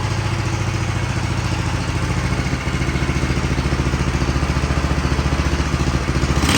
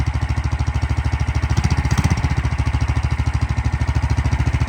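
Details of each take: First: Big block mini bike with new exhaust, first start before test ride; regular single-cylinder idle thump with two brief scraping surges from the spinning chain overpowering the e-brake, not the engine. Normal idle. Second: Big block single-cylinder mini bike, first test after sitting long and poorly set up: fast busy thumping around 200 beats a minute, idle speed set too high, being turned down.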